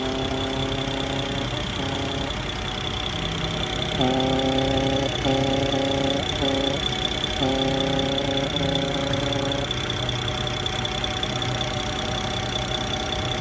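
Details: BMW N54 engine at idle makes an odd hooting, warbling tone in short bursts from the right side of the engine bay; the cause is unknown.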